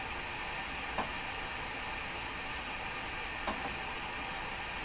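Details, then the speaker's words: Hammarlund SP-600 receiver, fault thought to be around tubes 6, 7 and 8, tuned in the double-conversion bands: flat, steady hiss with a few faint ticks (birdies) and no stations, with or without an antenna. No signal reception. "I'm picking up a number of birdies here. It's just nothing making it through this radio. Doesn't matter if you have an antenna or not."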